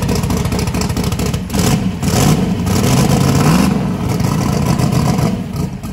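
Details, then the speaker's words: Gasoline-to-methanol swapped truck with belt-driven fuel pump, first start on methanol: loud, deep engine catches and holds a lumpy rising rev with no misses or knocks, idling about 4.7 air/fuel ratio, may be leaned out; normal running. "that was idling about 4.7 air/fuel ratios it's pretty good we might be able to lean it out"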